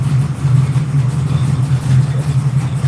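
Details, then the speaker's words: Reworked Crate 602 V8 (ex-dirt track) with dome pistons, GM dimple rods and Vortec heads, dialed in; deep, steady, even idle with smooth low burble and no knocks or misses: healthy, well tuned. "She sounds good. What do you guys think? Yes. It's amazing. 10 out of 10. Well, hell yeah, buddy. Appreciate it. Took a while to get it dialed in, but she's there."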